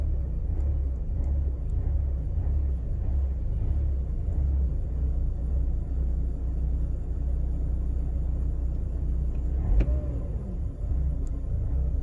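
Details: Mercedes W203 2.0 petrol on cold start: lumpy, wavering low idle that won't settle, lasting about a minute or less, with petrol smell; diagnostic scan shows nothing, cause unknown.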